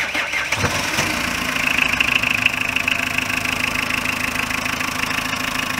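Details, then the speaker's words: Renault Kangoo Express 1.9 dCi diesel after a head gasket replacement (it had failed from loose head studs, with the thermostat also replaced), start the next day. Fires within a second, then holds a steady, even idle with no knocks or misses. Runs well. "Evet, güzel çalışıyor. Çalışması falan güzel."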